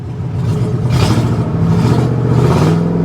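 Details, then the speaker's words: Ford F150 3-valve V8 at a salvage auction, no check engine light: revs up and drops smoothly through quick blips with no stumble; known for breaking spark plugs causing misfires under load around 50 mph, not present here. "So, honestly though, the engine seems to be running pretty well. The problem with these biggest problem, is those spark plugs that like to break. And the issue is, these things will sit here and idle like a dream. You can rev it up,"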